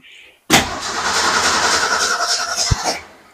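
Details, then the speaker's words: Car that died while backing into a space cranks a couple of seconds without catching while fed from a gas can through a fuel line and filter; crank, no start, fuel delivery problem suspected, not confirmed. "So, she's going to be at the wheel and try and start this thing and make it run. So, let's uh head back here and give it a couple cranks. See if we can get some fuel."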